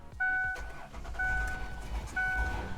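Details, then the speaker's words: Van unstarted and sitting for over a year with an old battery, force-started entirely off an AVAPOW A68 jump starter box: box beeps three times, engine cranks and fires into a steady idle; normal start. "Wow, listen to that. So you heard it, it started. That thing started this van after 1 year of sitting here and not working at all."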